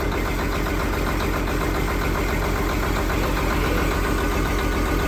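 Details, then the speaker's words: Detroit diesel truck, first start after sitting 11 years after ECM issue: loud lumpy idle stumbling every few firings, missing; engine position sensor reading fault, possibly bad crank sensor. "She's alive! It's missing like crazy, but it's alive. 11 years. 11 years and it's alive. If it ain't reading engine position sensor, it ain't gonna run."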